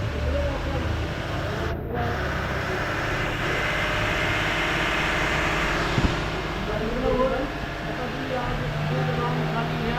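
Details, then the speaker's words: 2016 Toyota Sequoia 8-cylinder petrol engine, previously cranking with no start and fuel-soaked spark plugs, now idling steadily with an even hum, no misses or knocks, light outdoor background; normal idle. "So yun Ayan so ayun na nga mga kasero umandar na yung makina Ayan oh umandar na siya"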